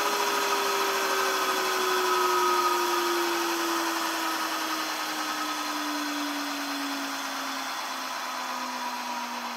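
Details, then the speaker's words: Rolls-Royce Dart turboprop dry cycle on 24 V, 500 A battery supply: smooth rushing spin with one clean tone sliding lower as it coasts down after starter run; turns freely, no rubbing or grinding. "so in theory we flip the switch on the start panel and we should get some magic happening inside the engine"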